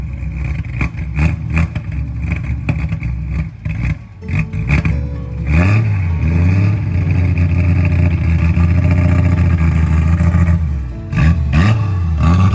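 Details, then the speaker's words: 1973 Triumph TR6 near the end of a restoration, second start attempt after adding gas: cranking clatter catches into a firm idle, then clean rises and falls in revs, no misfire or knock; a healthy six. "Now that we have gas, we're gonna do a take two. Man, that sounds good."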